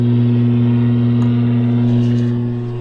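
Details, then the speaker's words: Lafayette vintage tube radio, unrestored, magic eye tube dead: loud, steady low hum with buzzy edge and no station audio, blamed on a bad filter capacitor under the chassis. "Complete with spider. This is what's causing our humming issue."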